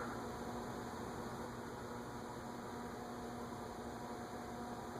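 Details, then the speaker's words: Envirofan Gold Line industrial ceiling fan, model 160F-7 c.2013: steady even airy whir with faint low 60-cycle hum, no grinding or ticking; bearings good, motor slightly hummy, possibly a slightly bent shaft. "bearings are clearly good. It's not a bearing issue."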